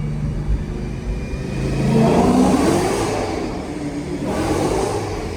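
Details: Car traded for a C5 Corvette, all stock suspension, driven hard on wet road with tires spinning: thin whine climbing with revs over V8 roar, pointing to a worn accessory pulley.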